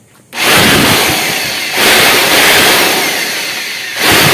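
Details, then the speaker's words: Bosch GBL550 blower, 10–15 years old, after maintenance and possibly oiling the noisy bearing: loud even air rush, steady high hiss, short speed dips, no rumble or squeal; bearing noise drowned out, runs clean. "Munti. Natalo ng lakas ng hangin yung ingay ng bearing."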